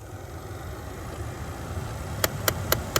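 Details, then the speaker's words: 2012 Dodge Charger 3.6 SE Flex, around 20 degrees, when AC or heater is on: quiet hum then sharp evenly spaced clicks about four a second; car in power-saving mode, ticking drains battery; quick fix is disconnecting the clicking part. "That little ticking sound will make your battery drain in your car."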